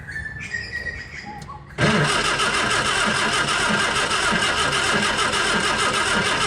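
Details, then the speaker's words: 1959 Austin Healey Sprite, first start after scratch engine rebuild, electrics and fuel system; clicks then steady cranking about three turns a second, no firing; no fuel reaching carburettor from mechanical pump, ignition unconfirmed, owner fears fuel pump fitted backwards. "Silly question, but you have got ignition, haven't you? Well, I'm assuming so. I don't know."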